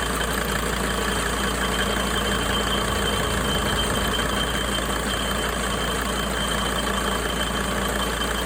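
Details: 2004 Sprinter diesel at idle: clatter with a thin steady high whistle riding over it throughout, unchanged in pitch; source of the whistling unclear.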